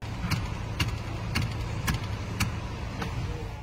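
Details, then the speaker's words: Rattle from the dash since the instrument cluster was replaced 15,000 miles ago: light, uneven plastic ticks about twice a second over low road rumble, something loose behind the dash. "customer States after the instrument cluster was replaced fifteen thousand miles ago there is now a rattle from the dash"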